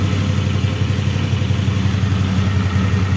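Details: 2015 CFMoto X8 ATV after service including variator, brake and engine leak repairs: steady, even low idle with a smooth rhythm, no knocking or metal grinding, unlike the first start; the engine is running healthy.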